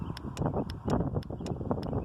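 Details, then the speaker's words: 12V Ford 4/5-pin automotive relay bench test, 12 volts from battery through 3 amp circuit breaker to coil pins 85 and 86: crisp sharp clicks over low rumble as the normally open relay pulls in cleanly, normal relay click. "you can hear it click. And then with my meter set to continuity, you can hear the tone."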